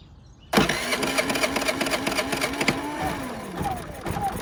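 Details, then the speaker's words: Predator 3500 generator, crank no start, sprayed with carb cleaner: catches right away, runs rough and uneven, then sags; fuel delivery issue, nothing coming out of the fuel bowl; fuel starvation. "all right so as you can tell there's a fuel delivery issue so I'm we'll take a look and see what's going on with the fuel management system"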